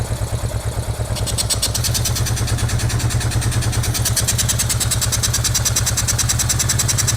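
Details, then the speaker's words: Honda NTV650 left unused 15 years, first start: V-twin idling unevenly with a lumpy stumbling beat, not settling; rough running, owner suspects the carburetor causes most issues, fuel pump also questioned. "I mean, I knew the carburetor was going to be a bag of cats, and I think that that's where the majority of the running issues do actually lie."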